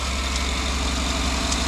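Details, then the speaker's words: 2009 GMC Yukon/Tahoe 5.3 LS V8 just restarted after oil pump replacement for low oil pressure; steady idle with faint quick light tick on top; owner suspects belt tracking wrong on a pulley, unconfirmed. Ticking at idle. "we got a little Ticky noise like a belt that is rotating on a pulley wrong I'll crawl over there and look at it"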